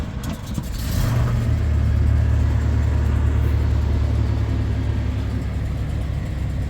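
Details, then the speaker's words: Carbureted Ford pickup on a frosty morning, electric fuel pump, three throttle pumps, in neutral: brief crank, catches right away and holds a steady elevated choke idle, no misses; the electric choke spring was holding the throttle open, so the choke was backed off. "You heard how easy it fired up. I actually gave it 3 pumps."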